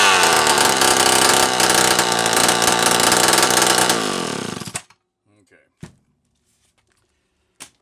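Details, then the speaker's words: Homelite Super 1130G chainsaw after replacing an out-of-range, swollen condenser (nothing else changed), running without muffler: loud, raspy two-stroke buzz holding steady revs for nearly five seconds, then clean shutoff; now fires and runs properly. "I didn't change anything else but that damn condenser, guys."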